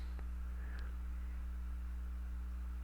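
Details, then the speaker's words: Acer Aspire 4720z laptop recording: a constant low, steady mains-type hum with overtones under faint hiss. Its source is unknown, and changing the sound settings did not remove it. "there's like this hum, and I was messing with the sound thing, and I don't know where that hum is coming from."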